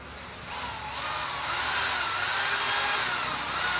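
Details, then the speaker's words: Drilling machine (hammer drill) after removing broken piston pieces, armature test run: motor spins up to a high, even whir and holds steady with no rattle or knock; armature runs cleanly, normal motor run before fitting the new piston. "இப்ப நம்ம armature மட்டும் கிளியரா ஓடுதான்னு check பண்ணியாச்சு. Armature வந்து motor சைடுல கிளியரா இருக்கு ஓடுது."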